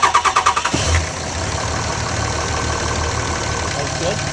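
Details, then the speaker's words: 2005 Dodge Ram 2500 5.9 Cummins diesel, previously sputtering and stalling with code P0203, after cleaning oil-soaked injector connector: cranks briefly, catches and settles to steady even idle, no miss; running properly. "Sounds like it's supposed to. All right. Okay. Go ahead and shut it off."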